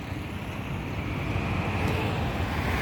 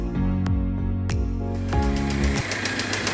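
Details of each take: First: Audi Q3 after full engine work for knocking and black smoke: steady smooth roar held at full rpm, creeping slightly up, no knocks or misses; no smoke now, previously heavy black smoke. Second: Audi Q3 that had engine knocking and black smoke: after music, the engine catches and a sharp, fairly regular knock about three to four per second rides over the idle; broken rod bearings had choked the oil passage.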